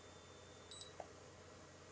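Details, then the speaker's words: Brymen BM235 (EEVBlog-branded) multimeter, first hardware version; faint steady high-pitched backlight whine under a short beep, persisting after AC line test; noise traced to a capacitor, fixed in later hardware. "Still hear that little whine. I was kind of hoping that would go away, but it"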